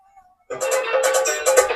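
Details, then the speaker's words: Cave 3000 W amplifier after repair of a high-voltage-burnt channel that was crackling, supply now restored to 92 V: plucked-string music plays clear and crisp, no crackle, buzz or breakup; clean amplifier output. "तो आप सुन सकते हैं आवाज जो है सही हो गया है"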